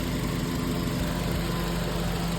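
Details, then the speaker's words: 1998 Honda Civic after repair of the ECU ground wire that had caused a crank-no-start: steady, even idle hum with a smooth low rumble and no misses or knocks; normal idle. "Car running. I just got to tape it up."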